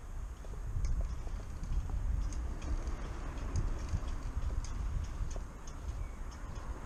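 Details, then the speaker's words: Bicycle rear wheel turning: light tick once or twice per second over low road rumble, like a grandfather clock; another snapped spoke on the same wheel knocking. "Yeah, that sounds like a broken spoke. Another one's gone. Same wheel. Oh dear. Sounds like a grandfather clock. And that is not how a wheel should sound while it's turning."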